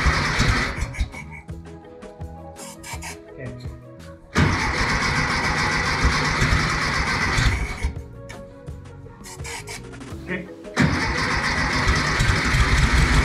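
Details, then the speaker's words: 1964 VW Beetle air-cooled engine stored 8–10 years, after cleaning the carburetor: bursts of starter cranking, each time firing and catching into a steady run; normal starting. "This was really surprising. The engine runs really well, once we decided to clean the carb out."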